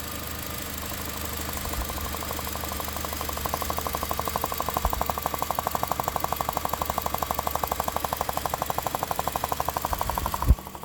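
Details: 2001–2005 Honda Civic EX at idle: a sharp, regular ticking knock about twice per second over a quiet idle; it was traced to a leaking fuel injector O-ring.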